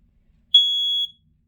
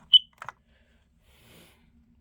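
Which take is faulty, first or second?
first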